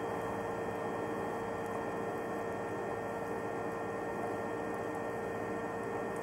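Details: Electrolux EHH 3920 BOK induction hob heating water on the small zone: a constant mid-pitched electrical hum with a faint higher whine and no crackle, which is normal operation.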